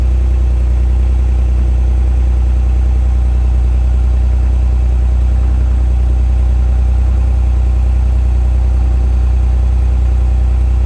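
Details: Replica 1980s Italian supercar kit car (Countach replica by Final Concepts) on a 1986 Fiero GT chassis, just started after a battery change and long sitting: deep, even idle with a steady low pulse and no knocks or ticks; fired right up, running great.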